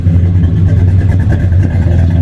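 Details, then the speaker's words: Cammed EL Ford Fairmont Ghia 4.0L on J3 chip base tune, cold start without idle packer, idling a bit lower than 1000 rpm: deep lumpy idle with uneven putting from the exhaust, running rich, fuel smell, fuel being pulled out. "you can hear it putting a bit so it is running rich"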